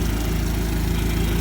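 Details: 2004 Dodge Neon SRT-4 at a steady, smooth idle with no misses or knocks after repair; the clicking crank-no-start was a poor terminal contact to the starter, fixed with a direct 12-volt wire from the battery to the starter.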